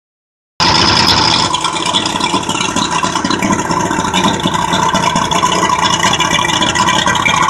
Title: 200 hp Mariner first start after carburetor rebuild